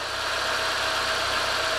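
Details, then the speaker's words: Renault K7M 1.6 8v engine idling right after a valve adjustment: steady, even idle with light, fast valvetrain tick and no heavy knock. The valves had been loose after long use, and rocker axial play keeps it from being factory-quiet. "E aí E aí o sozinho ficou beleza a câmera microfone vai catar uns sempre mais estridente tá isso é normal"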